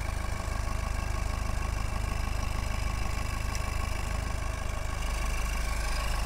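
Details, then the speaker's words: Peugeot 207 1.4 HDi with fault codes P0489 and P1152, EGR valve removed and stuck: steady diesel idle with regular low chug that shifts slightly as the EGR valve is rotated by hand; smoother in one position, open/closed unclear. "so you can hear the difference in the engine no so we're not sure if that's actually in that position as it opens or closed but when we turn that that sounds a bit better sounds a bit smoother"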